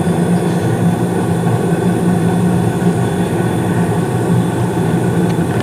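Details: 2016 Carrier furnace with Honeywell humidifier: steady low hum and smooth rush of air, no knocks; main blower on about 23 seconds after burner ignition, inducer spinning, blue flames; normal furnace operation.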